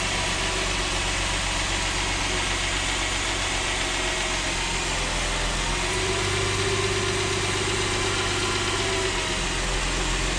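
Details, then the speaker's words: Rebuilt 3.5 V6 Mercedes E350 (previously knocking and smoking, scored cylinder walls; valve stem seals and gaskets replaced) at first cold start: steady, even idle with smooth hum, no tapping or knock, barely any smoke, just residue and steam. "Even at cold start, barely any smoke. And that's probably the residue that was still left in the exhaust. and uh some steam."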